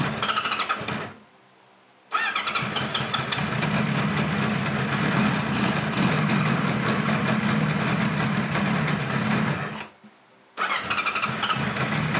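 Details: 1976 Kawasaki KZ900 A4 four-cylinder project bike on its first run: it cranks and catches after a pause, then runs with a ragged, loping beat and dies before restarting; hard starting and rough running.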